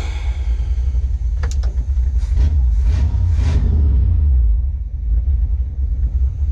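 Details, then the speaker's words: 1971 Chevy K10 4x4 pickup, small-block 350 V8, after sitting 10 years, idling in drive: slow, lumpy rumble just above stalling with light clatters; timing believed untouched; owner thinks old gas causes the low idle. "it's running low. Low idle. I'm pretty sure timing hasn't been touched on it, but it seems like it's fine right now. I just think it's the gas."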